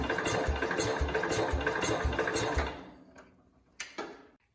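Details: 1969 Cub Cadet 105 after readjustment, given throttle: chugging about three beats a second for under three seconds, then fades and stops, won't sustain running; owner suspects engine timed wrong, plans to pull it.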